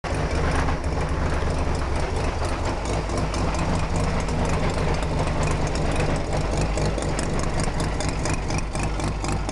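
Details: Mazda RX-7 FC bridgeport rotary engine at idle: rough loping idle with a steady clicking from the engine, roughly four clicks a second.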